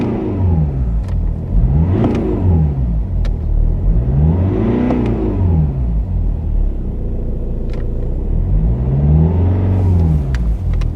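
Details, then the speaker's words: BMW 3-series 2.0 L diesel (listed as 320d, also called 318), July 2014, 283,000 km (also stated as 260,000), being warmed up and revved on inspection: four smooth, clean blips with no knocks. It revs well; one engine mount is slightly worn. "Ну, оберти бере добре. Зараз я неї прогрію, прогазую."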